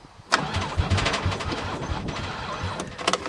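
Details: Chrysler van unstarted since 2006, battery from a Toyota, on ether: starter turns engine over in uneven sluggish bursts that never catch; cranks slowly, won't fire; owner suspects weak battery, asks if injectors fire; unconfirmed.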